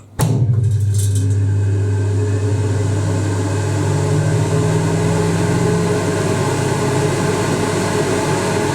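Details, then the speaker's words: 1980s Ariston by Colston Electronic 3000 spin dryer, rated at 3000 rpm, run empty before a load: the motor starts cleanly into a smooth, even low hum with no knocks or rubbing. Normal running; the lid lock is stubborn to release. "it doesn't really make any noise."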